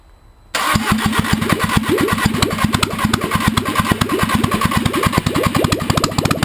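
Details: Audi A2 1.6 FSI (BAD engine), first start after repair following timing belt failure from a broken plastic idler pulley: catches within half a second, steady even idle with no knocks; normal start and idle.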